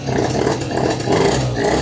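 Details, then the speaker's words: Yamaha Slider two-stroke scooter, off the road for years, being readied for MOT, after reseating the exhaust: crisp buzz rising and easing with throttle, no puffing at the pipe; exhaust no longer seems to blow, normal running. "Yeah, that sounds better. It's not blowing as much. I don't think it's blowing at all to be honest, but it's hard to feel air coming in that area because the fan's blowing air through the casing and I'm feeling the the fan blowing a lot of air."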